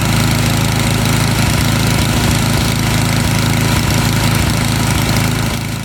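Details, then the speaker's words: Snowblower small single-cylinder engine, carburetor main jet being threaded out after leaning to stall; quick, slightly lumpy beat around four per second, running a touch rich while searching for the sweet spot; rich carburetor mixture. "Then I'm going to thread it out until the engine starts to run a little bit rich, and then I'm going to go ahead and find that little sweet spot."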